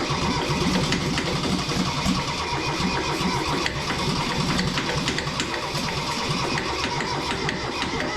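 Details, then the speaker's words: Kubota B6100 tractor, three-cylinder diesel, long non-running, heat applied, fuel present: long steady crank with regular compression pulses that never fires; owner suspects an injector problem. "I think at this point we have some kind of injector problem."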